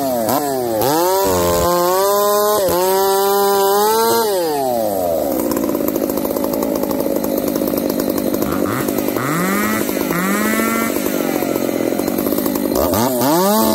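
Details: Two chainsaws (366 and 70-series, alongside Ironhorse 371xp) under cut: revs surge and sag, pitch hunting; 366 lean, 70 lean/rich, popping; owners suspect bad fuel, saws wouldn't tune.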